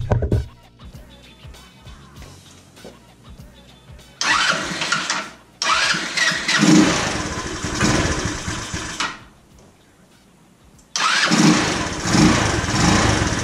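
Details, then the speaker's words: 150cc GY6 scooter still won't start or idle after CDI, ignition coil, spark plug, valves and a cracked fuel filter were checked; engine catches in ragged bursts, stumbles and dies, suspected flooding from a faulty carburetor float. "okay back in the garage um as you saw the scooter did not start it was still doing the same thing so i assumed now it's the dreaded carburetor"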